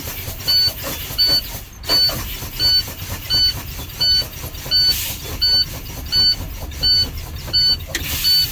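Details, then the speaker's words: Class A CDL in-cab air brake test, engine off and ignition on: brakes pumped below 30 psi with steady low-air warning beep, air hiss and pump strokes; both spring emergency brakes pop out normally. "we're going to go ahead and pump our brakes below 30 psi and both of our emergency brakes should come out so keep an eye on your brakes"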